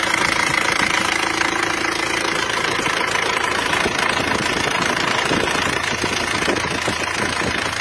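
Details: Isuzu Panther diesel after repair for heavy oil consumption (10 liters used from Jakarta to Blitar), rear seal, engine mounting and injection pump serviced: steady diesel clatter at idle, even rhythm around three beats a second, no knock or misfire; normal idle.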